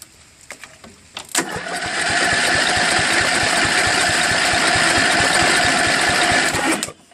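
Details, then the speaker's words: Craftsman LTV10 lawn tractor, carburetor freshly cleaned and installed, points magneto replaced with Briggs armature coil, jump pack, makeshift tank: steady cranking about three turns a second, never fires; no spark suspected. "okay well it cranks which is good and turns but I don't think there's any spark"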